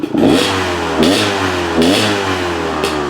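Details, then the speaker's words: Two-stroke dirt bike, idle and throttle tested: crisp blips rise cleanly and fall straight back to a steady idle, taking throttle well; normal throttle response. "throttle well and drops back down pretty well. So Electrons are always kind of lean on the bottom anyway, kind of no matter what you do. But this seems pretty good."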